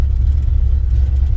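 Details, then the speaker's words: Ford LTD wagon with a carbureted Windsor V8: deep, steady low rumble with an even lope. Idles smoothly with no odd noises. "oh yeah yeah that carbureted windsor life y'all"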